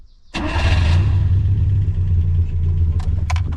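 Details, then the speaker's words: 1974 Fiat 125p, warm-engine start: quick catch then loud throaty idle with puffing rasp from underneath and rear; exhaust leaking through a hole in the pipe, previously patched with sheet metal, exhaust needs replacing. "Ale gdzieś ten wydech słychać i pod samochodem i z tyłu i ten wiesz co, jest dziura centralnie dziura i takby jest wydech i tak jakby jeszcze był obłożony blachą dodatkowo."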